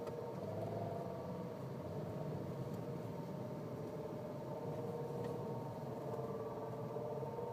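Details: Nissan Cube, registered December 2005, 7 years 8 months old at 51,000 km, driving: steady mid-pitched whine over a low drivetrain hum, fairly constant tone; CVT suddenly began making noise, repair quoted at major cost.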